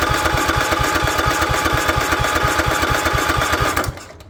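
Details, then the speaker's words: Craftsman lawn tractor, Kohler 16.5 single-cylinder engine left outside on a goat farm, gummed-up carburetor due for replacement: steady even thumping with lots of mechanical clatter, then shuts off; runs good, normal running. "this uh carburetor is just not happy it's all gummed up it really needs an overhaul but it ain't getting it's getting replaced so runs good"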